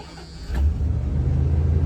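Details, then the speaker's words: Van that had been stalling on its own, owner unsure if electrical or fuel, fuel system found good; restart: quiet, then the engine catches quickly into a steady, even low rumble with no misses, a normal clean start. "Oh, it starts up like a top."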